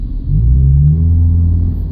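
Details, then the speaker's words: 2000 Subaru Legacy, high mileage, firm throttle, windows closed: deep drone drops in pitch and bogs as if choking, then catches; hesitation under load, cause unknown. "I'm pressing pretty firmly on the gas right now, and then it decides it wants to catch. That's not a good sign to me."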